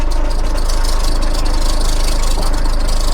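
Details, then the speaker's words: Holden/Chevrolet Epica diesel, 217,000 km, idling; steady fast bouncy rattle over low idle that smooths out when revved; owner suspects timing tensioner; idle rattle, source unconfirmed. "And you can hear whatever that is. I'd say that's the timing tensioner. If you rev it up, it does go away."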